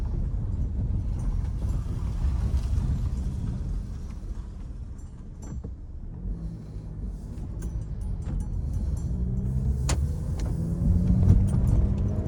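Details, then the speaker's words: 2012 Hyundai Elantra after replacing cylinder 3 ignition coil that had it running on three cylinders, codes cleared, test drive: steady low engine drone under road rumble, no stumble; running normally on all cylinders. "Let's take it for a drive. She's already running better. It's already running better."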